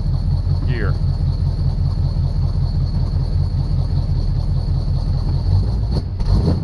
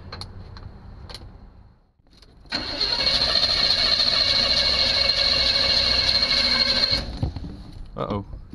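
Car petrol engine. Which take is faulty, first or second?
second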